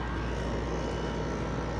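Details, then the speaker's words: LG window AC unit and a central AC unit, compressor heard from the central unit after window unit shutdown: steady even low hum, smooth drone, no knocks or rattles; compressors running normally. "all right that was my startup and run shut in on my window unit here the compressor just come from my central unit which i got"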